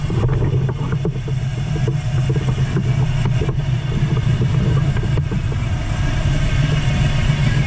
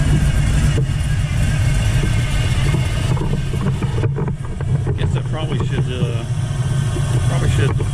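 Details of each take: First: 1979 Camaro Z28, 400+ small-block Chevy with a gear drive, after swapping a Flowmaster 40 series muffler for a quieter Flowmaster FX: low, even idle with a soft steady beat and mellow, quiet exhaust note; running normally. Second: 1979 Chevrolet Camaro Z28, T-10 Borg Warner 4-speed, small block Chevrolet over 400 cubic inches, idling: steady mechanical whir over the lumpy idle from a noisy Pete Jackson timing gear drive, quieter Flowmaster F/X muffler fitted.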